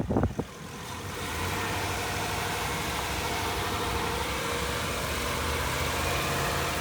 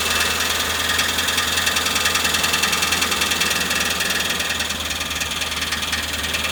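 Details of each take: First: 2014 Ford E250 van driving after a bent transmission part was replaced and the transmission reset with a scan tool to relearn: steady even engine note, smooth road rumble, no grinding or knocking, pulling and shifting cleanly; normal running. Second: Old Ford van with 5.4/4.6 V8, transmission just refitted after sitting about a year: loud harsh grinding over running engine, rough repeating beat about three times a second; bent flex plate, replaced with new one.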